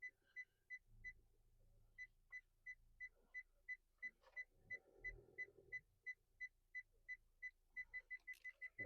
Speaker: Right, and I shall park it right here. And you can hear the parking sensors.